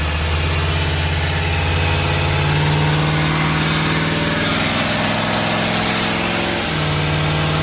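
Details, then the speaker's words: Old motorhome engine being brought back to road-ready after brake and motor work; very loud, rough running with an uneven throb and a sudden dip in pitch, sounds funny; sparks from the exhaust, a rag caught fire; cause undetermined. "it's very loud [Music] it's extremely noisy up why it sound funny doesn't sound good"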